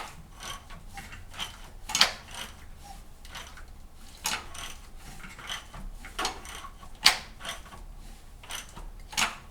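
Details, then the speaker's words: 2008 Cadillac CTS 3.6L GDI V6, engine cranked slowly by hand after installing new cam phasers and thrust washer: sharp clicks every half second to second, same clicking as with old phasers; cause unknown. "got some clicking going on just like it did with the old phasers"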